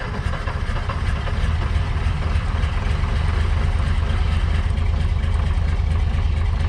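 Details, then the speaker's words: Off-road crane diesel, recovered after tipping over when its engine quit on a hill, chugs low and uneven under load while working the crane; not running right, lacks power to drive, owner says it needs a new engine. "the engine's not running right it needs a new engine it's only doesn't even have enough power to drive but it has enough power to use the crane at least"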